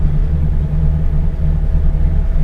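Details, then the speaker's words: LS V8 truck after cam swap, idle tuned in HP Tuners, idling in Park. Short- and long-term idle trims show the base airflow table correct and idle timing on target. Deep, steady, even rumble with no misses: normal idle. "short-term and long-term Idol trims are are telling us our base airflow table is correct so idle in Park is perfect"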